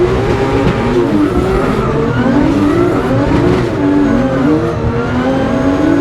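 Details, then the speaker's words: Drift car at high rpm with nitrous off: revs climb then chop off early again and again, like a false limiter, over tyre squeal. A misfire resembling a coil pack fault, traced to a cracked spark plug porcelain. "It's like a false limiter. I don't know if you guys could hear it on those two laps, but the team found that the porcelain on the spark plug was actually cracked. So, what's happening was once I was up in the higher RPM, it was like I had a coil pack issue."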